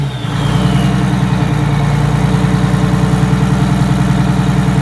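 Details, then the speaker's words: 1962 GM 4106 bus with Detroit Diesel 6V92TA, cold start on a 39°F night: cranks briefly, catches at once and settles into a steady, even diesel idle with no misses or knocks; started right up, healthy cold start. "well that wasn't so bad it started right up"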